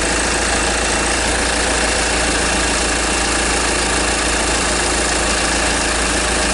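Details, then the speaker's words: 2010 Kia Sorento 2.2 diesel with hard start and misfire, just after injector replacement: very loud heavy clatter at steady idle with a harsh knock, like things breaking up; cause unclear, not confirmed. "a lot of noise coming from this vehicle it's really loud I'm not sure exactly what the noise is about sound like things just like breaking up"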